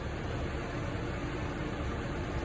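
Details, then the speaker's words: RV propane gas furnace after being switched off: blower keeps running about a minute to cool the furnace, a steady even rush of air with no knocks, rattles or squeal; normal cooldown run. "The way the gas furnace works is it continues to cycle a blower on it just to make it cool down for about a minute or two so you can hear it."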